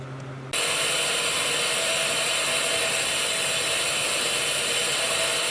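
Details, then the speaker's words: Bench grinder spinning up to a loud, harsh, steady hiss-roar at constant speed, recorded with a remote mic. Among the noisiest machines in the shop; the fault is unclear. "this is probably one of the noisiest buggers I've got in the shop"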